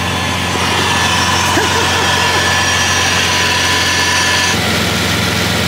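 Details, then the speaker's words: Bentley W12 engine at idle: even, steady smooth purr with no rattle or knock; the earlier rattle is gone, nothing internal to the engine. "Alter der schnurt wie ein Kätzchen heftig okay krass das hätte ich nicht gedacht"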